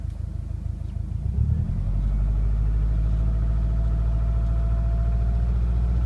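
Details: Subaru Impreza WRX EJ205 engine: a deep rumbling idle with a loose, somewhat uneven knock of about four beats a second under the low drone. Engine knock.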